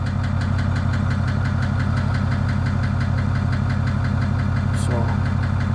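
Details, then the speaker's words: 2008 Ford F-250 6.4 diesel V8 at idle: a steady, sharp knock of about four beats a second over the engine drone; the noise eases slightly as the oil pressure light goes out, and the owner feels it in one area. "the noise kind of goes away a little bit and looks like the oil pressure is not showing up anymore"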